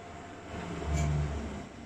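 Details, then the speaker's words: Vaillant Turbomax boiler with a blocked plate heat exchanger, hot tap running and fan on: a low rumbling roar swells and fades within two seconds as it overheats. "mmm it sound very happy we've got a fan run in there I think it will be overheated that sounds like it got very hot"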